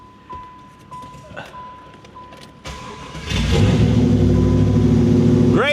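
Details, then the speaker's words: 1995 Pontiac Firehawk, 5.7 LT1 V8 with six-speed T-56, revived after sitting 10+ years: quiet ticking, then it catches and runs loud and steady, rowdy because the rear exhaust is off; sounds healthy, coolant leak noted. "And I mean, it sounds good. Obviously, like I still have the exhaust off the back. That's why it sounds pretty rowdy like that."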